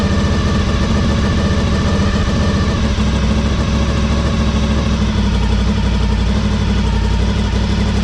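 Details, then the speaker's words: 2003 Honda RC51 SP2 V-twin, after repairing rodent-chewed wiring harness, warming up with airbox and sensors reconnected: loud, lumpy idle with raspy chuff each firing pulse, exhaust blowing where pipe joins rear-cylinder manifold, rowdy; small coolant leak also noted. "It is blowing out of the exhaust where it joins the exhaust manifold on the rear cylinder, and pretty rowdy. So I will definitely be taking a look at that, try and quieten it down."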